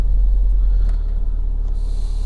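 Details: Engine running without misfire but heavy grey smoke, suspected rich: low steady rumble that never climbs when accelerator is pressed.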